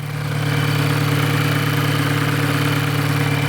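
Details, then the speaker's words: VW GTI direct-injection petrol, well over 100,000 miles, hard-driven: loud idle with busy mechanical clatter about three times a second, after oil-cleaner additive treatment; suspected carbon buildup. "now yes this is a volkswagen gti with well over a hundred thousand miles on it it's to make noise it's been abused in the past"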